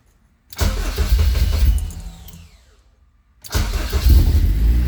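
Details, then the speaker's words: Rebuilt Honda K24 in a CRX on first start after reassembly: it fires and runs roughly for a second or two, then dies on its own and restarts; it sounds good while running, but the stalling cause is unknown. "she wanted to go turned on for a second stall it all by itself try it again okay uh I'm not sure why she's turning off by herself but when she is running sounds good"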